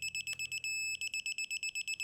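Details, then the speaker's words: Digital torque wrench set to 25.5 N·m tightening a 3/8 in (9.52 mm) mini-split line flare nut: rapid high beeps about seven a second, a brief steady tone, then beeping again, signalling target torque is close; normal operation. "Now this torque wrench is going to beep, beep, beep until we approach the correct torque value, and then we're going to have a solid beep."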